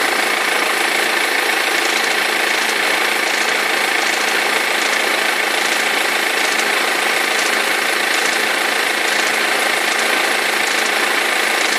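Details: 2003 BMW E46 320d diesel idling: steady knocking rattle about three to four a second from perished crankshaft pulley vibration damper; both belts eventually fell off.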